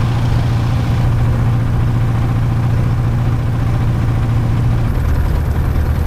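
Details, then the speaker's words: Light aircraft engine on a ground run after plug cleaning and a new battery; loud, heavy, lumpy tractor-like drone with uneven pulsing and shaking, rough running, no mag drop, owner says not spark plugs this time, cause unknown. "this is not spark plug this time this is definitely um something else but we're sounding like a tractor"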